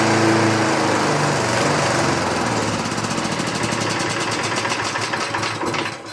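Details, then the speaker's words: 1960s Roof push mower, no air cleaner fitted: single-cylinder engine lopes unevenly, sagging and dying out, surging and stalling; owner suspects too rich mixture, missing carb center bolt opening a chamber, or insufficient fuel filling the carb cavity. "not consistently staying running. Let's um let's go pop the bolt back in the center of the carb that may be opening a chamber that's not supposed to be."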